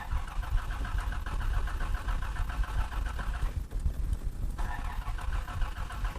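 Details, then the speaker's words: 1986 Toyota Land Cruiser FJ60, carbureted, after sitting, choke turned off; the starter churns steadily with a dull, low rumble, but the engine never catches. Trash and water were found in the fuel; no start from water in fuel. "nothing no no no no no no no no something is wrong with the toyota land cruiser something's wrong with it"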